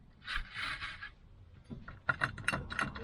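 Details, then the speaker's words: Citroen C25 2.5TD 4x4 with Steyr-Puch driveline: propshaft from gearbox front to viscous clutch, rocked by hand, gives loose metallic clunks from worn joints causing noise and vibration; to be removed, leaving front-drive. "can't be right that it's that loose so at least to get rid of the noise I think I will just take it off"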